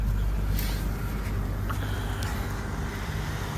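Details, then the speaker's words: 2015 Honda Accord 2.4L K24 Earth Dreams idle after new VTC actuator, timing chain, guides and tensioner, on a later start: low, even rumble with no ticking or rattle. Smooth, quiet idle. "see there you go oh my God that sounds so smooth wow"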